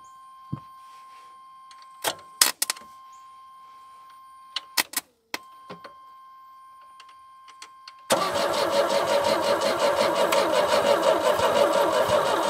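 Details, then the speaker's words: 1989 Chevy S10, 2.5L Iron Duke four-cylinder, 5-speed, abandoned 22 years, old gross-smelling gas: clicks then about eight seconds of steady rhythmic cranking that never catches; spark present but weak; crank no start. "smells like gross gas so I don't think we have any spark though we have spark okay it's weak but we do have [Music] spark"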